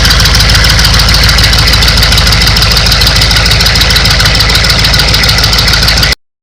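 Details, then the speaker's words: 1996 Chevy 6.5 turbo diesel, started with the intake manifold unbolted to find a diesel leak in the valley at the injection pump: harsh, very loud idle with sharp rapid chuffing (~200/min) from open exhaust ports; leak found at a fitting. "hopefully you can hear this the engine's kind of loud obviously there's a couple open exhaust ports in the top"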